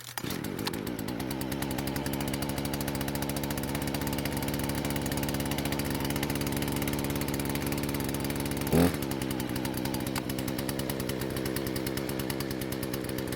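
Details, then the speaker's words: Husqvarna chainsaw after carb repair, mixture screws reset: even, steady two-stroke buzz with one brief blip, no stumbling; normal running after fix. "so it seems like the gamble paid off and the chainsaw is working just like it's supposed to now"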